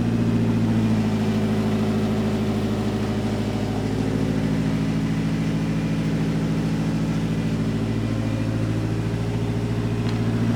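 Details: DSM car's engine idling smoothly, a steady low hum with a few light throttle blips and no misfire. It is being cranked again after self-wired harness troubleshooting of a no-start and ignition/spark plugs.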